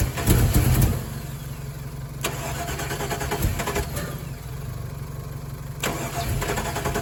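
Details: Chevrolet Colorado that has sat buried, steady starter churn at roughly three and a half turns a second with no firing catch; cranks well but never starts, just after a backfire. Fuel pump primes; fuel pressure unverified.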